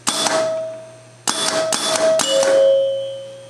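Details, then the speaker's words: Electromechanical pinball pop bumper with a worn bumper: four sharp solenoid whacks in about two seconds, each with a fading ringing chime. The ball touching the skirt energizes the relay, then the solenoid, and the bumper is firing normally. "when the skirt gets touched by the ball which is this part on the bottom it completes a circuit which energizes the pop buper relay and then energizes the solenoid"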